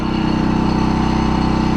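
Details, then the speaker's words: MXR4000GT 4000 W inverter generator on gasoline, first start, no load, low on fuel: steady even low hum with smooth regular firing, no knocks or misses, fairly quiet; normal idle. "okay so we have a shut off and we know it it runs it sounds good it doesn't sound that loud at all"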